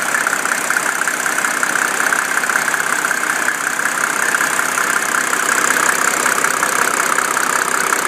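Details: 1987 Mercedes 300SDL diesel, 119,000 miles, number 15 head, warm idle at 80°C: fast fairly regular tick about three per second over clatter, intermittent, stops after driving; owner wonders injector, vacuum pump, valves or timing chain.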